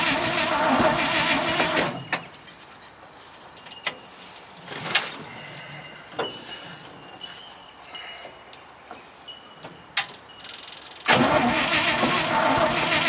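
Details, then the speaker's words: 1966 International ACCO truck petrol V8 with a 2-barrel Holley, long stored: steady starter cranking for about two seconds, a pause with clicks, then more cranking, never firing; owner suspects it is flooded or has no spark; cranking without starting. "Give her a rest. They've always been a bastard thing to start these. Any of them I've got are anyway. I think she's flooded."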